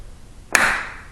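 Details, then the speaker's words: Elenco aluminum-frame house window: a single sharp crack with a ringing tail as the glass pops against a loose retaining strip. The strip is less tight than in the bedroom window; the fix involves pulling out the strip. "that's exactly the sound that would have that I would wake up to a hundred times every morning this one's got a little different tone than the one in the bedroom because it's not jammed in there the way is tight"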